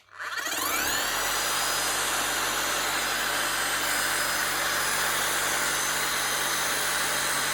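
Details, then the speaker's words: Bosch GSH 5 CE demolition hammer, under a year old, after a warranty repair with a new motor for catastrophic gearbox failure: the motor spins up fast to a steady, even, fast beat with no grinding or rattle. Normal hammer action. "Sounds like she should sound like a new machine, because she is technically still a new machine."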